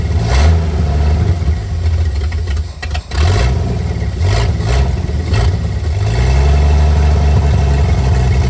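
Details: 1959 GMC 100 truck revived after 30+ years in a field; choke found stuck partly closed and freed. Low rumble rises and falls unevenly, nearly stalls then recovers, won't settle into idle; idle mixture screw only half a turn out, carb to be cleaned.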